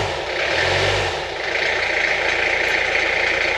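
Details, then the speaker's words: Peugeot P4 army jeep diesel, first start after full restoration, with glow plugs heated about 15 seconds and the gearbox in neutral. The engine catches, revs briefly, then settles to a steady idle clatter with no odd knocks. "in neutral looks fine"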